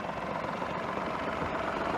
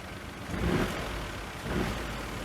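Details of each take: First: Citroen DS3 idling, heard from inside, after replacing a worn engine mount that had caused cabin vibration: smooth, quiet, steady even hum with no shake or knock; normal idle. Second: Citroen DS3 salvage car with a bent, collapsed engine mount being pushed off, before mount replacement: low rumbling engine note swelling with each throttle blip, the vibration noise heard inside the cabin.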